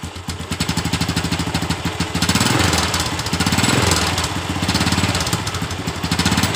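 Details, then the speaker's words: Honda Absolut Revo motorcycle, cold idle with throttle blips: a loose metallic clatter pulsing over an uneven beat from the right crankcase; the owner says it fades once the engine is warm; worn gear rattle. "dan kata pemiliknya juga ketika motor ini sudah panas suara yang semacam bunyi besi yang terlepas seperti itu biasa hilang"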